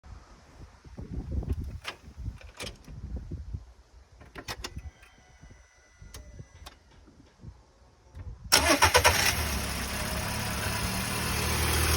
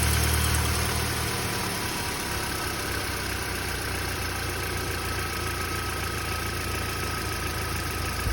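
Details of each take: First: Audi A3 1.6 FSI petrol, 220,000 km, 5W30 oil, cold start: brief metallic rattle at startup before settling to idle, absent when warm, shorter facing downhill; owner suspects tensioner, unconfirmed. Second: Audi A3 1.6 FSI, 220,000 km, 5W30 oil, cold start only: a louder rattly roughness in the first second gives way to a steady, even idle; the owner asks whether it is the tensioner, and it doesn't occur when warm.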